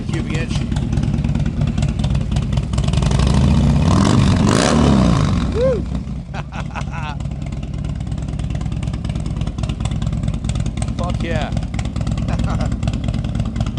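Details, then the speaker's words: 2007 Harley-Davidson Screamin' Eagle CVO Dyna FXDSE 110 ci after rebuild (high-compression pistons, new cams, custom ignition, Bassani 2-into-1, no heat shields), before final tuning: deep lumpy idle swells into strong rev and settles evenly, no knocks or misses. "It sounds so much better. Wow. I didn't bother putting the heat shields or anything on."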